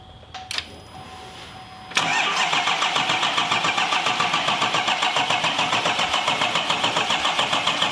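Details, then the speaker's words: 2021 Chevrolet Silverado 2500 Duramax diesel rebuild, first start attempt, no fuel in the rails: even cranking about 3.5 turns per second with no firing; crank no start, fuel system not yet primed. "like we gotta prime it probably right for the fuel there was no fuel in the rails themselves though that's good i hear it pumping"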